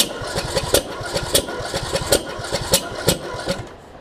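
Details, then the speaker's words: John Deere D110 mower after a rebuild following a detached flywheel magnet: uneven, lurching cranking with sharp kicks that briefly catches then dies. The owner suspects the timing is off from a sheared flywheel key. "i was doing some weird stuff and i don't know what it is doing with uh kicking back and whatnot it's like it wants to run but it won't weird try one more time here hmm that's doing some weird stuff ain't it it's almost like the timings off which it could be if it sheared that flywheel key"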